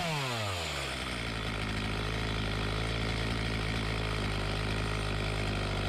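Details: Homelite 4218C chainsaw after carburetor screw adjustment, tightened carburetor and fresh fuel, previously bogging and stalling: revs climb quickly, then settle into a steady, even buzz with no bogging or stalling; it runs cleanly.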